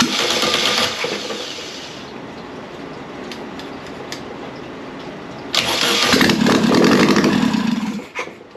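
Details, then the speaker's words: Air-cooled 1600cc VW Beetle engine, long-stored, revved from the carburetor: catches roughly, fades, surges briefly then dies; running only off the accelerator pump, float bowl gasket leaking. "yeah so we're definitely only running off of our accelerator pump which for some reason works"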